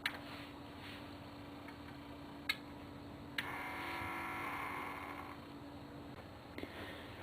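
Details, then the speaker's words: Magnavox CD player: pressing open/close gives a faint high whir for about two seconds with no drawer clunk, because the motor spins freely; the belt between the motor and the drawer gear wheel is broken (temporary fix: rubber band). "here's the drawer mechanism you can see that uh when I press the open and close button it just makes this uh noise like it's trying to"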